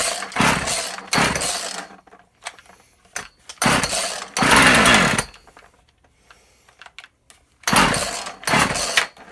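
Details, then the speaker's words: Husqvarna 36 chainsaw after repair of an open hole at the carburettor's impulse passage: several short, sharp revving bursts, firing cleanly each time, starting without priming the carb; starts and runs fine. "Well, that's a good sign. It fired up without putting prime in it."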